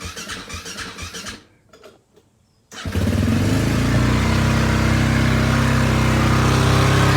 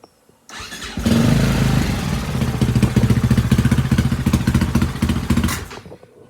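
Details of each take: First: Husaberg FE450 single-cylinder bought as a non-runner, after troubleshooting, timing check, water pump seal and clutch repair: a few cranks, then fires and settles into a steady, even thump with no stumbles; normal running. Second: 2004 Husaberg FE450 single (year per owner's memory), bought as a non-runner, started while the intake air boot is missing. It catches and chugs with uneven, lumpy firing pulses, then dies off: rough running from the missing intake air boot.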